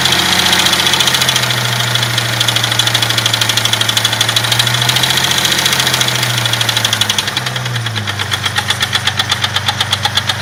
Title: Jeep 4.0 knocking noise cold engine